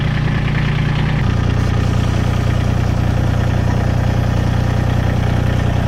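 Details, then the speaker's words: Massey Ferguson GC1723 sub-compact diesel tractor at its 250-hour service, run after an oil change left it a little overfull: even diesel idle, about 200 pulses a minute, low smooth rumble, no knocks or misses. "It's a little over full. So let's fire it up, let it get in the filter."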